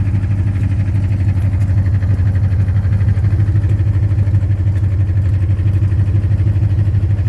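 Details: 2010 Ford Mustang GT V8 at idle: deep steady knock about three times a second on a low idle; owner has been told it could be rod knock or lifter tick, cause unconfirmed.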